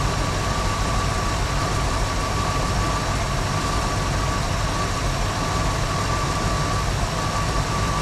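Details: 1974 Ford Bronco, first start in over 16 years after fuel system repair and fresh oil: steady, even low idle with no knocks, ticks or misses; immediately picked up oil pressure, healthy.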